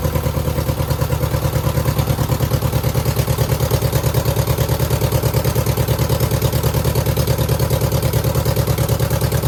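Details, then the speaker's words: 2009 Subaru Forester X NA EJ253, remanufactured OEM heads, third start after engine install with hoses fixed: uneven lumpy idle, about two pulses a second, one cylinder dropping out; persistent misfire, not smoking; owner suspects cylinder 2 from cracked head or water in block. "I mean, we definitely still have a miss, but it's not smoking."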